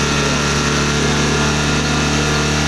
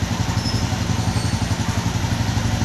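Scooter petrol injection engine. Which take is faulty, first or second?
second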